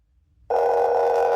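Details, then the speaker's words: Homemade Class-D amplifier (STM32, 200 kHz PWM, LM5109 half-bridge, LC output filter, 4-ohm speaker) after resoldering and fixing a wrong pin: steady sine tone switches on with a rough, hissy edge; noisy output, drawing about 100 mA, cause undetermined. "All right. A bit noisy, but I can definitely hear that sine wave."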